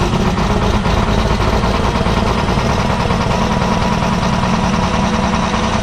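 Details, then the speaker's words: Big Red, a diesel truck hauling corn, cold start with the block heater not plugged in and new batteries: it settles straight into a steady, even idle with a deep rumble and no misses or knocks; healthy cold start. "This is going to be a cold start. She was not plugged in. So we're going to fire her up and see what she sounds like."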